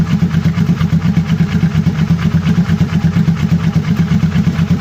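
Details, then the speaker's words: Kawasaki ER6n twin just started after engine flush and oil change: steady even idle pulse, no knocks or ticks, smoother and quieter than before; normal idle during warm-up. "ตอนนี้ผมลองสตาร์ทเครื่องดูแล้วนะครับเสียงมันมันนิ่งกว่าเดิมเงียบกว่า[เพลง]"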